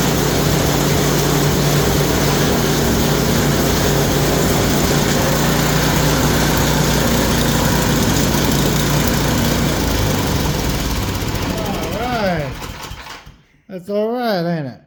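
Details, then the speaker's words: Yard Machine snowblower after repair, initially locked up, flywheel teeth suspected ground down, converted to pull start and adjusted; small single-cylinder engine runs a steady, even putter about twelve seconds then shuts down, sounding healthy; untested in snow. "Well, the real test is to see how she does in the snow, but we don't got no snow yet, so. But yeah, it's all right."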